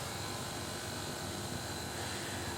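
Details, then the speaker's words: Air conditioner, brought in for indoor-unit noise and no cooling, running in cooling mode after repair: a steady, even hum with a faint high tone and no rattles; suction is 110 psi with about a 15° temperature drop, so it is working normally. "Y tenemos 110 de presión en la succión Así que podríamos decir que este aparato está andando bien que quedó bien"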